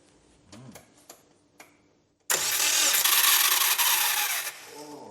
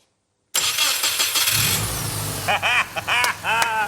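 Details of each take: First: Subaru Brumby barn find with rebuilt engine, cranked with ECU disconnected (no fuel or spark): about two seconds of loud, harsh, high-pitched grinding whir with no firing; cooked, failing starter motor. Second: Restored barn-find Subaru Brumby, EJ20 engine, first start after fuel system flush: brief cranking, catches at once, smooth even idle with light revs; healthy.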